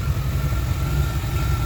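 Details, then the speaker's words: 1989 R30 crew cab square body truck, probably sat four years or longer, now with a cleaned tank, 150-micron pre-filter and spark plugs: a deep, even idle rumble with no ticks or misses. It sounds healthy. "sounded good no ticks or anything like that considering this thing's probably sat for four years and then who knows how many years before that"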